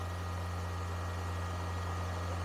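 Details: Engine on a cold day with a suspected blown head gasket, being diagnosed for high idle: steady, even drone sitting at about 2500 rpm with no hunting; pinching the hoses off makes no difference.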